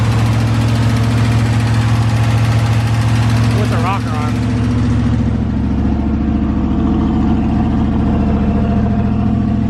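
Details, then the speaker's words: Warm V8 in a Ford F100 with a new engine idles steadily after about 10 minutes, oil pressure about 50 psi, water temp 180. A light, fast, uneven tick comes from the driver's side: a noisy lifter, heard over a lopey cam. "we got a little lifter noise on the driver's side of the engine and you start to hear this side no lifter yeah you can hear that lifter"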